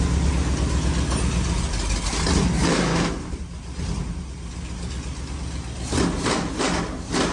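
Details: Rat-rod bus V8, second start, cooling lines and timing not yet finished: fires up and idles steadily with a deep rumble, some rough patches, running on its own. Smoking noted.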